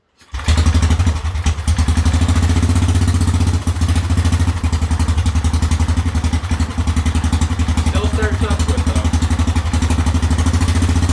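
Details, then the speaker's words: Whizzer engine, first run in a while after a spark plug problem, testing the new overdrive gear: loud, regular single-cylinder thump of about four beats a second with no misses or rattles; runs normally, better than before. "well it's nice to hear it run again runs well too better than it did before when I uh last drove it"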